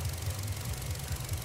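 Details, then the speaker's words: GM 1.4 turbo (Cruze/Sonic/Trax/Encore) that was surging at idle from a failed PCV diaphragm in the intake manifold (P1101/P0171), after installing a one-way valve in the vacuum line: even, low idle with steady beat, no surging; now much smoother. "vacuum line and now you can hear it's a lot smoother"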